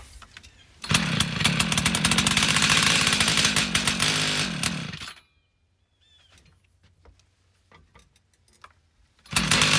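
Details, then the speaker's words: Old Craftsman 536 two-stroke tiller unused seven or eight years, on starting fluid: buzzes hard about four seconds then cuts out, won't run on tank gas; owner suspects carburetor plugged by jellified old fuel. "what's going to happen I'm pretty sure is this gonna fire up and then as soon as it runs out of the starting fluid it's not gonna ever start running off this gas in the in the tank"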